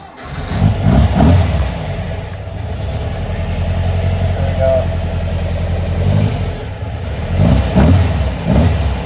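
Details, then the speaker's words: VW Beetle with an air-cooled 2276 cc engine and aftermarket cam (idles low when cold): cranks and catches quickly, then holds a steady, slightly lumpy low rumble from the cam. Normal start and idle. "it's just air cooled engine so it's not going to rumble but the cam is definitely a little um give it a little Rumble"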